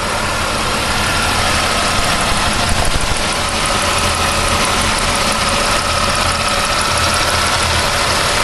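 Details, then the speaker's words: 1999 Pontiac Firebird at idle: steady idle with a fine fast ticking over the engine note and a constant whine on top; something seems loose, cause unclear. "Okay, something's a little loose."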